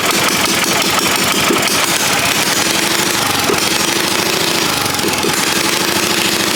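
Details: Predator 212 single, after pushrods refitted, engine loosely mounted: fast, steady running with crisp even exhaust, no misses or knocks; normal running.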